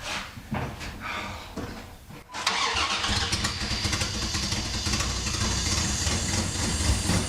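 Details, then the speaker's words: Dodge Dakota after new spark plugs, plug wires, distributor cap and rotor: cranks about two seconds, catches cleanly and settles into a steady even idle with no stumble or misfire; normal start and idle. "the truck's running good now it's not misfiring or anything like that so I think we're good"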